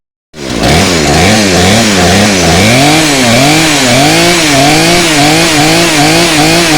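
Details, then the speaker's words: Chainsaw after repair for no spark traced to corroded magneto connector; now fires at once and revs up and down cleanly, pitch rising and falling smoothly with throttle; running properly. "I need to clean that all up, put a new connector on there, and I think my saw's fixed."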